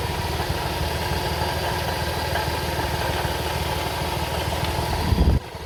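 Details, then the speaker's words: 2004 Toyota Sienna at idle, antifreeze leaking, with the timing belt later snapping: a rough idle with a thin, very bad screech and a rattle underneath, pointing to a pulley, the water pump or the timing belt; cause suspected, not confirmed. "Shortly you will hear the noise. Uh very bad noise. It's like screeching."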